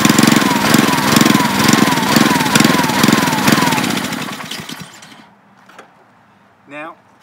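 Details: Honda-powered Ryobi 3100 PSI, 2.5 GPM pressure washer that would not stay running, started with choke: small single thumps at an even, steady idle for several seconds, with no hunting or stalling, then the sound drops away; fix was a drilled gas-cap vent hole.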